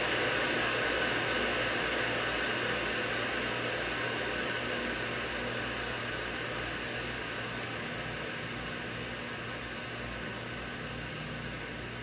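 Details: Wurlitzer 528 valve amplifier fitted to a Model 1700, warmed up: steady hiss like rushing air under faint hum with soft rhythmic swells; hiss disappears when the 6J5 oscillator tube is removed, cause otherwise untraced.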